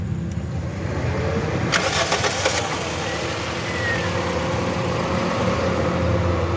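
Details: Toyota Corolla after blown fuse and faulty ignition coil were replaced: engine catches quickly and settles into a steady, even idle without stumbling or missing; normal start after repair.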